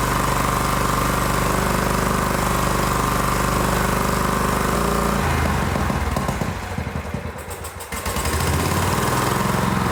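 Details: John Deere GT225 lawn tractor, first start after fixing not-running issue and refuelling to fuel filter: engine fires and settles into an even, steady beat with usual low rumble; running normally.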